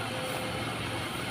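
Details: Used standard Suzuki Katana inspected before purchase, engine idling during radiator coolant check: short stretch of steady, even idle hum with no knocks or misses; engine sounds stable and healthy.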